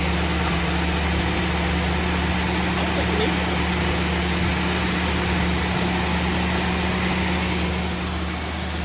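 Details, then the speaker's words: 1971 Ford Maverick with a rebuilt 200 cu in (3.3 L) inline six and automatic, stored since 1996, fed from a jug into the carb: a steady low hum with an even beat, no misses, idle dropping as the choke works. Normal running. "and see if it'll drop the idle there it goes D the choke work yep"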